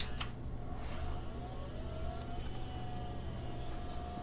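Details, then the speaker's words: Under a low fan rumble, a thin whine climbs in pitch then holds steady as the Osicom OfficeMate 286's newly attached hard drive spins up. Lots of drive noise; whether it's good or bad is unknown. "lots of hard drive noise i don't know if you can hear that don't know if it's good hard drive noise or a bad hard drive noise but it's a hard drive noise"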